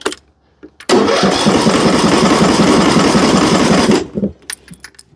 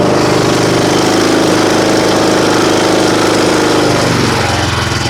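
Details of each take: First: John Deere riding mower with Briggs & Stratton engine, reported as won't start after shutdown: starter spins it evenly about three or four beats a second for three seconds but it never catches; valve adjustment suspected. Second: John Deere riding mower with Briggs & Stratton engine, started on choke after a freezing night, following the valve adjustment that fixed its no-start; the single-cylinder runs strong and even at about three beats a second, then settles smoothly, healthy.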